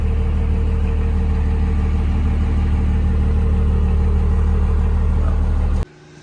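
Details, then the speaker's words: Dodge 2nd-gen Cummins diesel truck idling to warm up before its first test drive, not yet up to temperature, with the gauges dead. Steady, even, low diesel drone with no misses, knocks or surging. A normal cold idle. "And those gauges are dead, but we'll let this thing idle up for a minute."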